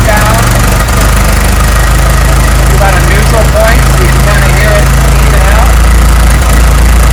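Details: 1912 Ford Model T Speedster, 177ci inline-4, gravity-fed carburetor, just after cold start: steady low thrum, even firing, no knocks or misses while warming up.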